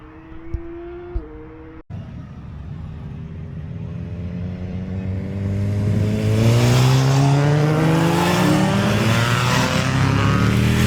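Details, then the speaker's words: Suzuki GSX-R600 SRAD track bike restarting after a stall: struggles to start, then revs up unevenly, rough and lumpy on three cylinders; a spark plug not seated properly. "And then I don't know if you can hear in the video, but it's running on three cylinders for a second."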